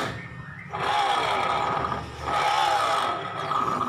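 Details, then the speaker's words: Honda Vario 125 CVT (rough noise while riding) checked with the pulley spun without load: two revs with a coarse rough drone following pulley speed; worn bearing inside the CVT pulley. "tnya nih kayaknya laher pully nya nih yang kena kita pasang lagi seperti ini ya tanpa pulih ini kedengaran sekali ya suaranya"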